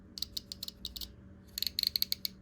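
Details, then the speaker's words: Shimano Triton TLD20 fishing reel during disassembly for cleaning and lubrication, handle removed: crisp evenly spaced clicks as the clicker is moved up and down; click ratchet engages cleanly, normal. "there's a click ratchet built into it right there and so that when you move this up and down let's hook it on first you should be able to um hear that ratchet"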